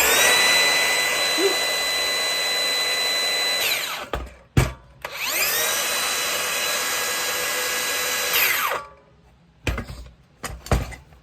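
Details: Makita cordless circular saw after trigger switch replacement, reassembled with batteries: spins up to a steady high whine, holds about four seconds, stops, runs again cleanly; motor and new switch working.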